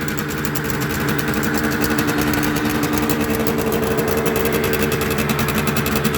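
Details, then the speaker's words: Restored 1976 Suzuki GT125 two-stroke running cold on choke and idling high before the choke is turned off. Fast, even buzz with no misses or knocks, healthy cold running. "So there we go. I'll let you hear it. It's cold, so it will rev quite high at the beginning."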